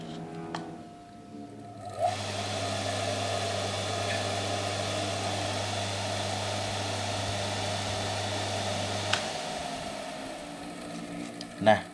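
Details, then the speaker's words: Single-phase motor without capacitor or auxiliary winding on mains power; only hummed until the shaft was turned by hand, then runs with a steady low hum and even whir for about seven seconds; normal running on main winding. "tadi saat saya menghubungkan koneksi kabel tersebut dengan listrik PLN dan saya pegang AS nya ternyata AS nya bisa berputar"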